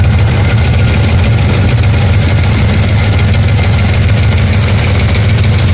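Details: Engine at steady idle with a light, fairly quick tick over a deep rumble; ticking noise somewhere in the engine, source not yet pinned down.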